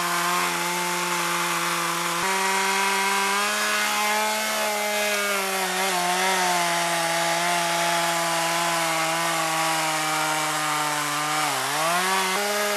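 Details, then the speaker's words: Chainsaw running on years-old stored boat and chainsaw mix blended with new alcohol-free fuel, cutting wood: strong steady high buzz, briefly sags under heavy bite then recovers; runs cleanly, normal running under load. "say fuel mixing was a success it's is running right fine sounds good"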